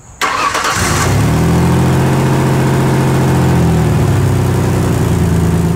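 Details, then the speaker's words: Pickup truck engine cranking, catching and idling with a raspy, puffing exhaust note from a leak at a rusted, bolted flange joint where two exhaust pipes meet. "and you could clearly hear and smell this exhaust leak as well let me show you where it is and this is another common spot that exhausts tend to leak from and it's called the flange it's where two exhaust pipes meet and are bolted together"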